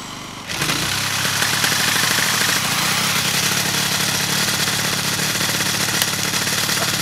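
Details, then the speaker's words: Piaggio Zip SP race scooter: Stage6 70cc cylinder, Malossi MHR crank, Polini Evo variator, new PVL ignition; stored 15 years, drill-started for the first time on 2.5% mix. Loud raspy high idle with metallic scraping behind the kick cover; owner suspects an untightened variator or the kick gear rubbing it. "Ce que je vais faire, c'est qu'il y a un bruit métallique, je vais regarder ce que ça peut être. Bon alors ce bruit métallique, il a l'air de venir de derrière le carter de kick. Peut être que j'ai pas serré mon vario ?"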